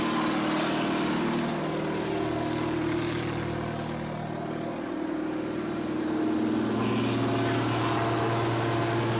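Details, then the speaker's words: Repossessed cotton picker, 8.3 Cummins diesel, first start with three injector lines open (two full of air). Slow, lumpy beat under wind noise, as if some cylinders aren't firing; dead cylinders from the open lines. "Fit around that good with 3 injector lines empty. First try."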